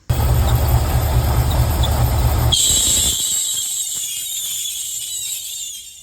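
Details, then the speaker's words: Welding truck's AC compressor: heavy engine rumble under a piercing high squeal that continues after the engine drops away. Squeal caused by high head pressure tied to the electric fans; fixed by adding a switch. "Well, there you go. You seen that compressor squealing. Figured it out. I was pretty sure it was because due to high pressure, high head pressure, but I didn't know what was causing it."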